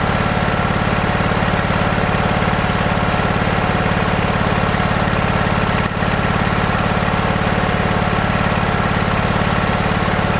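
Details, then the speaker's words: Husqvarna 2246LS V-twin mower running: low lopsided thump as if only one cylinder fires, popping above half throttle, one cylinder much cooler than the other; one-cylinder misfire. "Um, it doesn't like to go above about half throttle. It starts popping really bad. Um, you can see I've got the spark plugs out of it. This cylinder here is uh nowhere near up to the temperature that this one is."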